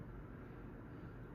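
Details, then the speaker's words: Litex Gaskin 24-inch six-blade ceiling fan with 30° blade pitch, running at medium speed: whooshing blade whir with a rough, gritty bearing undertone and a faint motor hum. The bearings are noisy, though they later quieted with use. "Now, of course, some of the noise you're hearing is the blades waring around, but half of that noise is the bearings."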